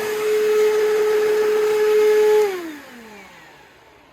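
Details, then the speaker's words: 2004 Bissell CleanView Bagless 8975, $10 marketplace find, fan possibly damaged: very loud steady high whine holding pitch while running, then falling away as motor spins down. "Oh my god, you probably couldn't even hear me over the vacuum. Like, that's horrible. That's really, really bad."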